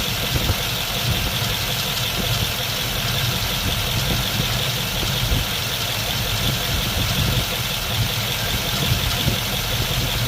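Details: 1951 Mercury with newly swapped Rochester 2-barrel carb, idle mixture screws being adjusted from about two turns out toward highest, smoothest rpm; low, uneven idle burble with slight lumpy loping under steady exhaust roar, rough idle while mixture still off.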